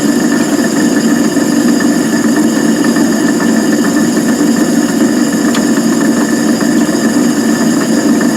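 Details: Van Wert coal stoker on Gentleman Janitor JG5 boiler, running pea-size anthracite after six days: steady mid-pitched drone with faint uneven ticking; noisy gearbox.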